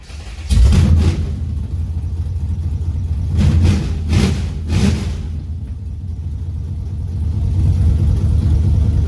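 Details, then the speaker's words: G-body Super Sport V8 cold start after an ignition upgrade (NGK plugs, Pertronix E coil, MSD 6AL, MSD billet HEI and wires; AFR heads, Hooker headers): it catches quickly and settles to an even rumble on all cylinders, normal. "Sounds good. We have success. Spark plugs, it's hitting on all cylinders. Not bad for a cold start."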